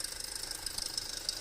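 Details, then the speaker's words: 2008 Audi A4 2.0T, codes P119A and P2279, check engine light: rapid, light, high-pitched tapping at about fourteen per second over quiet idle; failed PCV diaphragm built into the valve cover, no crankcase vacuum. "This thing has a bad valve cover. So there we go. It's going to be the diaphragm that's built into this cover."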